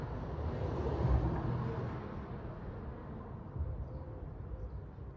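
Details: 2005 Opel Vectra C at idle: a low, uneven idle with an irregular stumble about three times a second. It is a cylinder 3 misfire from a spark fault.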